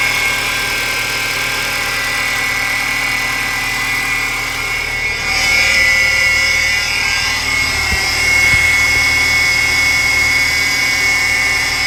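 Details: 2012 Ford Fusion engine idling with a steady high-pitched whirring chirp over it, constant with speed; the worn poly-V (serpentine) belt pulleys need replacing, and the belt is due too.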